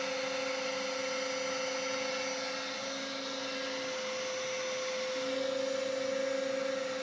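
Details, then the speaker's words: New 5 hp spindle on a heavier-duty plate on a CNC router table, with the shop vac running; steady high electric whine over a smooth vacuum rush, no rubbing or rattle. Spindle got lukewarm, then stopped warming; runs normally. "looks like everything is working good with the new spindle at first i was getting a little concerned about how warm it was getting"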